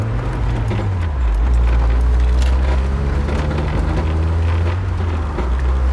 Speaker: guys in case you can hear that rattle is still there I did work out what it was basically it's a bolt on one of the support beams underneath the car which is loose